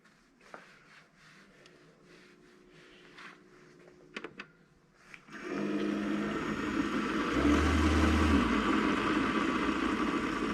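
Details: Keurig brewer after stuck check valve removed, cleaned and reinstalled, water loaded: a few clicks, then pump kicks in with steady low hum and flowing water, running evenly without straining or sputtering; pumping normally.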